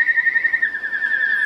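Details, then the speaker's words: Archer Klon-style overdrive with Strymon Mobius flanger patch, gain turned up: loud steady high whistle around two kilohertz with faint wavering overtone, far louder than the barely audible Ponyboy; charge pump heterodyning whine. "it's pretty ridiculous how loud it is in comparison."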